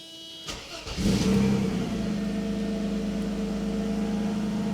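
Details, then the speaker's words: 1995 Mercedes E320 wagon (W124/S124) after engine mount replacement: cranks, catches within a second and settles to a steady idle with no rattling; an exhaust leak remains. "oh that is so much quieter there's nothing rattling anymore okay listen oh that's a thousand times better there's still the exhaust leak of course"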